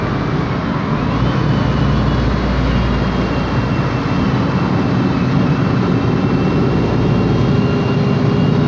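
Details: 2007 MAN Lion's Classic city bus, MAN E2876 LUH03 EEV CNG engine, Voith DIWA 864.3 4-speed automatic, while moving: heavy drive roar with a faint thin tone above it; noisy rear differential whine.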